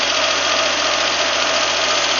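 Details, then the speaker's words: VAZ 2110 engine just started after a major rebuild, not yet warmed to operating temperature: fast light valve ticking over a busy, even idle, some smoke from burning-off sealant and oil; valve clearances to be adjusted once cool. "Стучат немножко клапана, надо будет отрегулировать потом."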